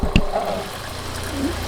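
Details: Vintage RV water pump first switched on after long sitting: low steady hum with running water, no sputter or surging; pump primed, delivering water with no leaks; normal operation.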